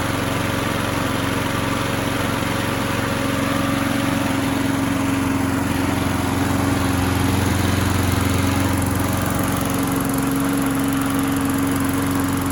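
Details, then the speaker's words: Craftsman lawn mower that popped but wouldn't start, after a flywheel key replacement. Primed, it holds a smooth, even steady run with no misses, pops or surging; it sounds healthy. "then we're gonna let it run for a minute alright so let's give it a few Prime's and let it run for a little while"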